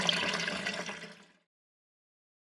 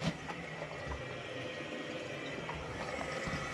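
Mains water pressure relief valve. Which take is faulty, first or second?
second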